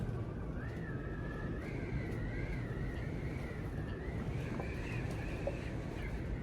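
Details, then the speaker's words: Ultrex trolling motor, rebuilt foot with new armature and seals, bolts torqued to 40 ft-lb, tested with the propeller on over water. Even electric hum, soft wavering whine, no grinding or knocks: as quiet as new. "So I call a success. It's as quiet as a brand new one. Probably because it is."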